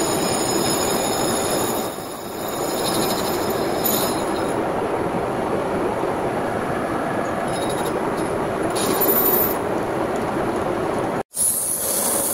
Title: Need Replace Rear Wheel Bearing Sound